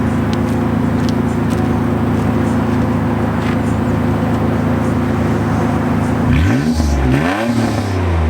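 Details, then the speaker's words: 1987 Nissan 300ZX with a presumably factory exhaust, heard at the exhaust; steady, deep, even throaty drone sweeping smoothly up with a quick throttle blip, a healthy exhaust note. "Doesn't sound too bad. It's got that throaty kind of exhaust sound to it. Maybe that's the sound of a factory exhaust on an 87 Nissan 300ZX."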